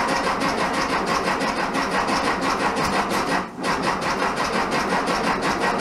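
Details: 1967 VW Bug, big-bore 2387cc engine, cold day (~15°F), after fuel delivery fix: rapid uneven cranking, about three beats a second, brief dip, no clean catch; spark weak on test light, owner suspects ignition.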